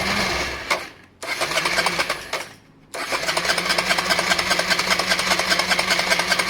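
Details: Honda Varadero 125 streetfighter project, airbox resealed and a little fuel added: the starter churns in fast, steady pulses, about two or three a second, but the engine never catches; the owner says he drained all the fuel last time and needs fuel into the carbs.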